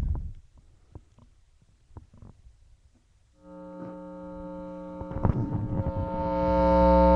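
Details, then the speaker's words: Guitar amplifier with guitar plugged in: steady low buzzing hum that grows louder as master volume is turned up, disappears with gain turned down even at max volume; amplifier hum, source unconfirmed. "I'm pretty sure you can hear that it's pretty damn loud it gets louder as the volume the master volume gets turned"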